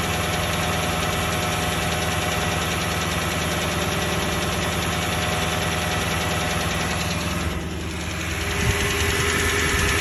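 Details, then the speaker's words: Toyota 1UR-FE engine: rapid, steady knock over the idle, about three per second, in time with the engine, louder and clearer as the oil thins and pressure drops; cause unconfirmed. "Стук еще сильнее. Ну еще отчетливее. То есть чем жиже масло, тем отчетливее стук."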